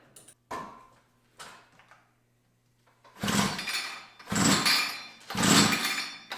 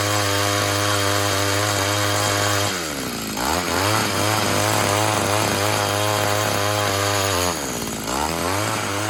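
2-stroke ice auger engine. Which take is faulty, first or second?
first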